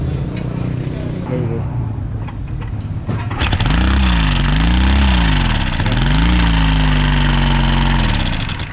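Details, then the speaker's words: Newly bought Honda XR150 motorcycle, very noisy: engine starts and blips with loose rapid metallic top-end clatter; rocker arm loose on intake side, exhaust rocker stuck up and worn; oil reaching top confirmed fine. "So yan guys may napansin ako dito sa kanyang locker arm na maluwag. Ayan oh. So bukod sa maluwag 'yung luck na banda intake, so 'yung exhaust niya is stock up."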